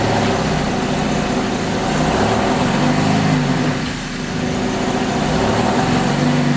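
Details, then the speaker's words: V6 Camaro just fitted with an 80mm throttle body and adapter plate, before retune: uneven, lumpy idle with a loping low rumble and a brief dip near four seconds, like it wants to stall; rough idle. "So it does sound like it want to cut off bad. It's island pretty rough, but what I'm gonna do is retune it."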